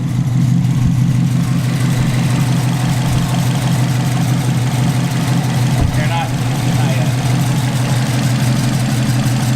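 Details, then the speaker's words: Subaru WRX turbo petrol engine idling, not yet at operating temperature, after blow-off valve install; light loose metallic rattle over steady low hum from the turbo wastegate arm rattling, described as nothing serious. "the broth it's the wastegate arm and it's rattling"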